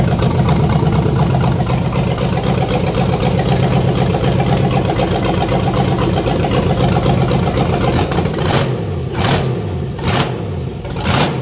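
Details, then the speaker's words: Fox Body Mustang LS-swapped V8 on self-wired Microsquirt ECU, first start, open exhaust: loud uneven burbling idle with a few blips, pouring black smoke; rough, extremely rich running. "yeah this thing's awesome sounds like a drag boat honestly and it pours black smoke out of the place so it's extremely rich right now"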